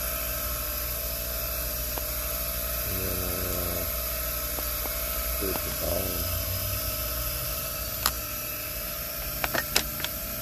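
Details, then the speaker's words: Rotary tool grinding down a mismatched part, metal or plastic unknown, to fit a Poulan PP4218AVX chainsaw with a no-start fault. A high, steady motor whine with short gritty bursts as the wheel bites: the grinder runs normally. "so we ground it down and ground it down here i don't know if this is metal here or not but whatever"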